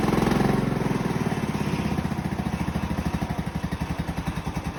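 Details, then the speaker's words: Honda single-cylinder engine in a Farmall M build, started after welding the exhaust, before muffler and braces fitted: thumps along at a steady, settling idle, no misses or mechanical clatter; normal running. "So now I think what we'll do is fire it up, make sure it runs okay like that, and then we'll move on to braces and the muffler."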